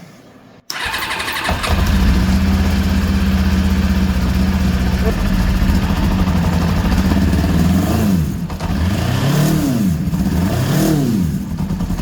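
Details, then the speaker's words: Kawasaki GPX 600R after sitting well over a year, carbs rebuilt and filled, running on choke: catches and idles unevenly, revs sag and bog on each throttle blip, faint slight knock underneath; rough running, not taking throttle. "on yeah she it's not taking throttle at all though I do hear a little bit of a noise a slight knock"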